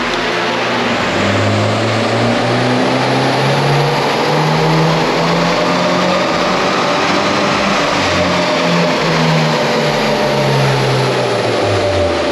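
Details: 2022 Subaru WRX with JB4 tune on 93 octane, dyno full-throttle pull after reconnecting a disconnected boost hose that had hissed: strong even note climbing steadily through the revs with no misses or hesitation; about 242 hp, healthy.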